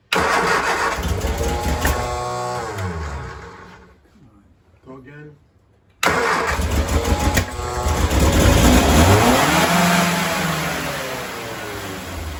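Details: 1966 Triumph Spitfire catches and runs unevenly with wavering revs, then dies and is restarted, never settling into a steady idle. Known timing, carburetor, throttle linkage and battery problems; cause unconfirmed.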